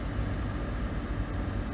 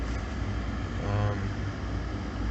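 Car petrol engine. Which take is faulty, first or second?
first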